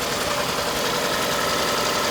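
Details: Detailed Toyota at auction, running on its own power with check engine light on: uneven stumbling idle under hiss; misfire at idle, code reads cylinder number one misfire.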